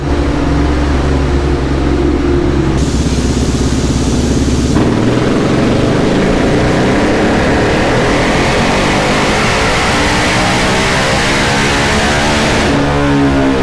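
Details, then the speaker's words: 2019 Yamaha Raptor 700 SE with built top end, new Dasa full exhaust and Vortex ECU on a dyno during tuning; strong single-cylinder bark climbing cleanly through a full-throttle pull, no misses, quieter than the previous exhaust; about 58 hp; normal full-throttle pull. "so we'll see what it puts out the Das is going to throw down it sounds really nice it's a little quieter than the rossier and uh I guess we'll see if we're around 60 horsepower"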